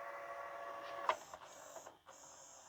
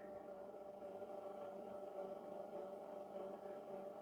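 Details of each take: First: LG/NEC VCR after mode switch cleaning: soft motor whir with a few mechanical clicks as it shifts, then steady tape winding; fast forward working normally. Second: Slow, labouring rewind on an LG or NEC VHS VCR: low strained motor hum at a steady dull pitch, then a click and it stops before reaching the start of the tape while still showing rewind; play works fine, weak tape drive suspected.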